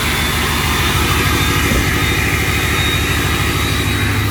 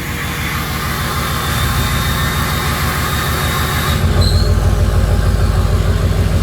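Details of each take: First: 6.0 Powerstroke diesel with turbo switch on, engine still a little cold; deep steady rumble with thin constant high whistle and no rattles, normal turbo spool. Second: 6.0 Powerstroke diesel, still a little cold, VGT turbo controlled by added switch: rumble with high turbo whistle that drops out about four seconds in when switch locks vanes, leaving deeper drone; changed turbo sound.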